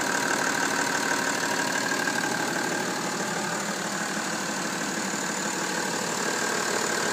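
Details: BMW M57 diesel idling steadily with a regular light tick about three times a second and a thin whine; abnormal engine noise, source not pinned down.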